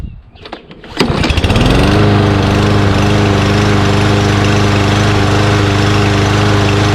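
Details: Mower after a compressed air filter that was restricting intake air was replaced with a new one: it catches after a couple of pulls and settles into a smooth, even drone with no hunting or surging. Runs healthy.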